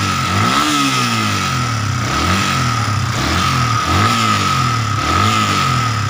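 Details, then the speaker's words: Yamaha Vixion motorcycle revved in short bursts after new valve adjusters, tightened valve clearance, boring and new piston rings: coarse rattly roughness on each rise persists; attributed to worn piston rings. "Tapi di sini kenapa motor masih ngecer ya saat digas ya? Saat digas masih ngecer."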